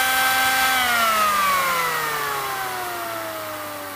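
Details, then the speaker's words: Kenwood Chef A701/A mixer motor, removed with no load or pulley, centrifugal governor speed control: bare motor whine with clean tones sliding lower as speed drops, no rubbing or rattle; normal unloaded running. "remember there's no load or pulley or anything on this motor so it's going to run strangely at slow"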